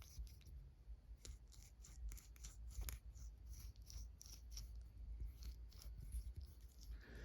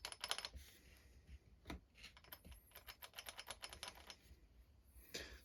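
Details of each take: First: Losi 8ight nitro truggy (Dynamite .28), inner clutch bearing turned by hand next to the microphone. Dry, scratchy rasping in uneven bursts; grit found inside the bearing, while the outer bearing is fine. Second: Losi 8ight nitro truggy with a Dynamite .28 engine, clutch repair: the spur gear is rocked by hand, giving light, crisp clicks with a hair of play. Gear mesh backlash set correctly.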